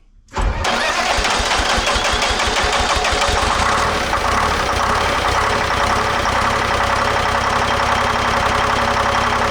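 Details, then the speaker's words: Lull telehandler Detroit Diesel 3-53 two-stroke after a proper starter negative cable: short crank catches almost at once, fast even beat settles in; first time ever started without ether; normal start. "It's the first time that's ever started without ether. Ever."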